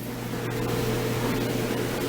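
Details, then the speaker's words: Electric clothes dryer after repair, reassembled and running: steady low hum with even airy whoosh, no screech or scrape, drum turning smoothly; earlier bouncing and noise was traced to one little screw. "do you know that thing sounds pretty smooth not bad at all"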